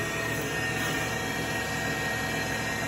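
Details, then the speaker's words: 2012 Tormach Series 110 CNC mill, spindle just switched on and ramping up, oiler being pressed: steady even high whir, constant pitch, no knocks or grinding; normal spindle run. "So you come over here, you turn the spindle on, power on, and then with that, let's see, start it. You can see the spindle spinning now, hear it."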